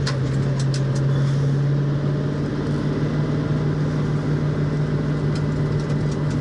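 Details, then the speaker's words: 1966 Mustang on a speed-bump road, testing for bump steer after reworking the TCP upper control arms with galled rod ends. Steady road rumble and engine drone, no clunks or knocks from the front end; the suspension sounds tight. "yeah it's pretty good notice it's not clunking"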